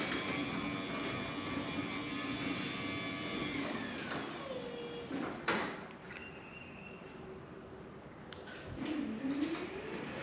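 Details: Genie 6172H-0 wall-mount jackshaft garage door opener running a C.H.I 5916 three-layer insulated steel door with nylon rollers: low soft motor hum, gentle rolling and light clicks, about 40–45 dB; normal quiet operation.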